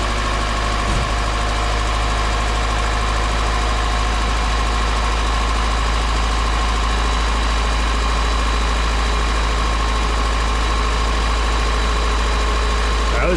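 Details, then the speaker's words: Car being prepped for a Route 66 cruise, first start after swapping the mechanical fuel pump for a new electric universal pump (holding about 7 psi); loud steady low idle without stumbling or surging, normal idle. "was easy. Sounds pretty happy, but"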